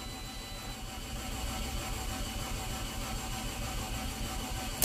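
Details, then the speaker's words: Copart auction car listed as a run-and-drive, seen with flashing dash lights. The starter spins the engine fast and evenly but it never fires. It cranks but won't start; the buyer suspected no compression and possibly a broken timing belt, unconfirmed. "almost like the timing belt might have broke almost sounded like it wanted to catch"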